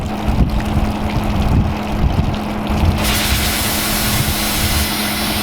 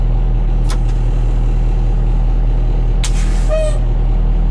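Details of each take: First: 1986 dump truck, 118,000 miles, diesel idling after testing the dump bed hydraulic pump: steady hiss of escaping air continuing after engine drops away; broken air line under truck losing brake air pressure, brake light on. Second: 1986 dump truck, 34 years old with 118,000 miles, at first start-up with good air pressure: an even diesel idle with a couple of short, sharp air-brake valve hisses; the brakes work and the air system sounds normal.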